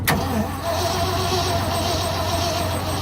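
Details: 1978 Ford F-600, cold start at -22°F, hot-wired, with old gas poured in: a steady, labouring starter drone with no firing. It cranks sluggishly; weak battery or poor battery connections are suspected.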